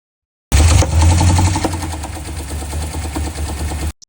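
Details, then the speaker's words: C6 Corvette Z06 LS7 V8, day after delivery, driven gently with maybe one 6,000 rpm pull: uneven hard metallic clatter hammering over a lumpy idle; metal-on-metal, serious internal damage, engine blown. "So, yeah, not good. I mean, that's that's metal."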